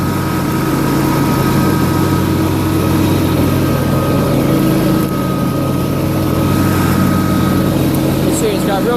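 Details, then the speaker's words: John Deere LA150 lawn tractor nearing 300 hours, mower deck running with Gator mulching blades: loud, steady whirring drone, even blade hum, no knocks or grinding; strong suction makes the deck naturally louder, safety switches work. Normal running. "it's a little loud cuz it's got the Gator blades on it which are most blades and they have they create a lot of suction so the deck's just naturally"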